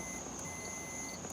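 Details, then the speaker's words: Multimeter on continuity setting, probes touched together while testing a six-spade shifter/backup-light switch: steady high-pitched beep cutting in and out as probes touch, normal continuity tone showing a closed circuit. "I don't know if you hear that but it's beeping"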